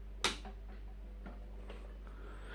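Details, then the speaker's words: Three Thorn 5-foot 65 W fluorescent striplights with GE starters switched back on: a few sharp starter clicks over a steady low mains hum as the tubes strike; a normal start-up. "wow and they certainly did blink happy and everything so and either one of them did I'd hear them making a humming noise as that's that's the start sound of their starter button"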